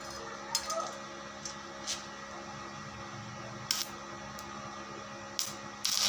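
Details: Daesung ARC120E 900 W stick welding transformer, over two years old, welding hollow steel: even crackling hiss with a few sharper pops, no sputtering or dying out; steady, clean arc.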